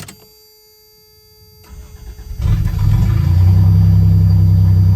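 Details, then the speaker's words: 1988-95 Toyota truck/4Runner 3.0 V6 4WD, started after radiator and thermostat replacement, warming up: cranks, catches and settles into an unusually loud, deep, raw idle because the catalytic converter is missing. "So like I said, you can hear it. It's missing the catalytic converter. I got a new exhaust coming for it, but it's super loud outside."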